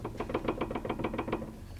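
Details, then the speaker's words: Porsche (996/986 discussed) on lift: quick run of dull clacks, about seven a second, as a worn rear sway bar link is rattled by hand; links being replaced as a pair. "these are bad in the back we'll be replacing those we have new ones actually here to go on"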